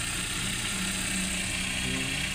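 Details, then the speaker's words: Engine running after repair/replacement of the belt tensioner bearing: steady, even hum with no chirp, squeal or bearing rumble from the belt drive; the noise is gone, quiet belt drive. "yan. Wala nang ingay, tahimik na."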